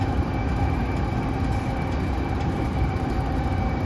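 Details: Inside JR MoHa E232-3011 train car: a heavy rolling rumble with steady droning tones from a faulty air conditioning unit making an abnormal noise.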